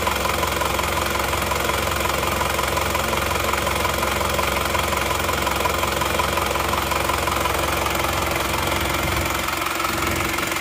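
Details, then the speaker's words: Isuzu Panther LS diesel after fourth engine rebuild, injection pump fitted with a different rotor head instead of the 13 mm one; even, steady idle clatter, no shake, much smoother; normal diesel idle. "Sekarang mari kita starter ternyata suaranya jauh lebih halus dan lebih rata dia juga tidak bergetar seperti sebelumnya ya jadi getarannya sangat halus jauh lebih halus daripada yang 13 mili suara mesinnya pun sangat jauh kedengaran bedanya"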